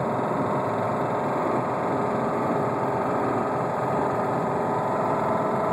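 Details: 2007 Subaru Outback on the highway near 60 mph with the check engine light on, driven 14k miles after spinning a rod bearing: a fast, even knock tracking engine speed under road drone. It stalled twice and the engine seized.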